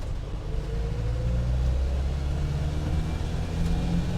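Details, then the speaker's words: 1995 Land Rover Defender 110 300Tdi diesel on a test drive, cruising in fourth at about 35 mph uphill, then downshifting to accelerate through third. A deep, smooth drone climbs evenly in pitch; the engine pulls nicely and sounds healthy. "So far, so good. Very quiet, very smooth vehicle. I mean, very quiet for a Defender. Engine pulls nicely."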